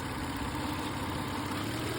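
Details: Avalon V6 at idle after remote start, timing belt, water pump, plugs and valve cover gaskets replaced at 160: smooth even idle with a soft steady hum, no knocks, ticks or whine; engine sounds healthy.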